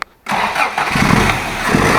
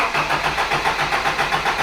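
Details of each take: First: Toyota Hilux with weak spark, already fitted with a new coil and points, just had a new condenser installed on the ignition circuit: brief crank, then it catches promptly and settles into an even idle, ignition firing strongly. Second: Toyota Hilux with points ignition, still fitted with suspected bad condenser: starter churns steadily at about seven beats a second, full throttle, but never catches; hard cranking from weak spark, fixed by replacing the condenser.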